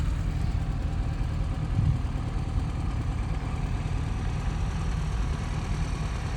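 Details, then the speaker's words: 1987 Austin Mini Advantage 998cc; smooth, even low burble at steady idle with no knocks, misses or rattles, sounds beautiful, normal idle. "But obviously you can hear it. Sounds absolutely beautiful."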